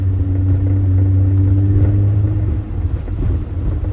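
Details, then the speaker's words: Driving just after a new SKF axle was installed to cure a noise: steady low road rumble with no clicking, knocking or grinding; drivetrain sounds healthy, noise gone. "oh please let it be fixed please please please be fixed not here nothing we're turning I don't hear anything"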